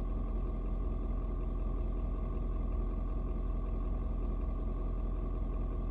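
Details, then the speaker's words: Ford Super Duty 6.7 diesel, cold start at 56°F, engine still really cold: steady, even low clatter holding a fast cold idle, no misses or knocks, expected to idle down slightly once warmed; normal cold diesel idle. "the truck's still really cold right now and um i'm gonna try to not talk while the truck dude does this but it's going to like idle down just a little bit"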